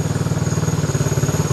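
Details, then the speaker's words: Fuel-injected engine with a dry clutch at a fast, steady idle: the quick, even rattle riding on the idle is normal dry-clutch clatter, and the engine itself sounds healthy. "you're wondering why the engine sounds so clattery i know i'm going to get a bunch of comments on that that's a dry clutch so that's that noise you're hearing no motor problems that's the way it's supposed to sound"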